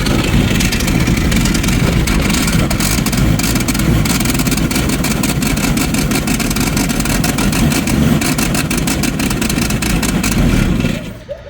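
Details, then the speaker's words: 1990 Jeep YJ 4.2L 5-speed, carburetted, new fuel pump, held on the accelerator: ragged, stumbling running with a loud exhaust rasp, like missing on half the cylinders; owner suspects partial flooding or insufficient fuel reaching the carburettor; engine misfire. "I I can get it to run if I put put my foot down on the accelerator pedal but it runs like it's missing on half the cylinders so it could be partially flooded"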